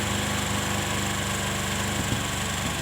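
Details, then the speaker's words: Motorcycle with the idle air screw adjusted, heard after adjustment: steady, even small-engine idle with a fast constant putter and no hunting or misses; idle speed set correctly. "Oke kita setel bot anginnya ya kita setel seperti ini oke ini sudah pas langsamnya dapat kita geber gas seperti ini"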